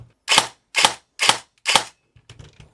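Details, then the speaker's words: CYMA REC10 SR25 airsoft AEG with CYMA grip, motor height set, before calibration (active braking still at 70%, no pre-cocking yet). Four crisp, evenly spaced shots with a clean snap and no grinding; very good sounding gearbox. "I think this is so far the best sounding SR25 I've ever made that uses the CYMA grip here."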